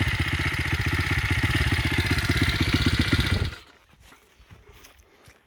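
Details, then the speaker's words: Demon X 170 Detroit single-cylinder dirt bike with new End carbon exhaust can: crisp even firing that pulls cleanly then shuts off; quieter exhaust lets the smooth, healthy engine come through. "can actually hear the engine more now it's quiet in the off and that is what I wanted"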